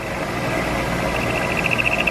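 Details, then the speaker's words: Milling machine end mill plunged straight into an inside corner with no countermeasures: steady high-pitched squeal that pulses and grows louder near the corner as the end mill chatters. "I don't know if you could see it on the video or not here in the camera but you could hear it it chattered pretty good in the corner there"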